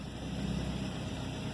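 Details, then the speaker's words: 1993 Volvo 240 automatic, running again after the shifter was rebuilt where a broken plastic piece was found, which had caused a stuck key and no-start; steady, smooth low rumble with no misses, knocks or hunting, a normal idle. "so yeah this thing goes through there the ball goes through here it's all put back together sorta and it's running finally"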